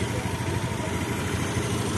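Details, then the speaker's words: Honda Beat eSP scooter that stalled with MIL code 52 (CKP error), fixed by rejoining broken CKP wires: steady, even idle with smooth low drone, no stumbling or misses; normal idle. "Alhamdulillah berhasil motor yang mogok-mogokan karena ckp error sini muncul kode 52 dan setelah kita telusuri ternyata kabelnya ada yang putus"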